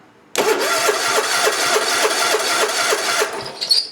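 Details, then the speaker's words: Hustler Raptor zero-turn mower with Kohler engine, after customer-installed starter and bad new solenoid bypassed; steady cranking about three and a half beats a second with no firing, fuel status unknown. "Of course it ain't gonna start."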